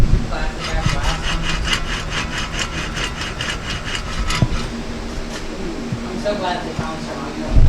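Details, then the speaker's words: 2004 Nissan 350Z: the old wheel bearing is turned by hand near the microphone. A dry, gritty rasp pulses about four times a second from the worn bearing, which is pretty bad. It is replaced with new bearings and brakes. "Yeah, so that was that bearing turning. I'm sure y'all could hear that. It's pretty bad."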